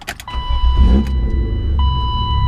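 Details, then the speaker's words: 1990s BMW E36 325is coupe starting normally after the anti-theft code is entered (without the code it won't start, chimes, owner thinks fuel pumps cut): steady electronic chime as engine catches and settles into low, even rumble. "so I go ahead and I want to put my code in and now it will allow the car to start"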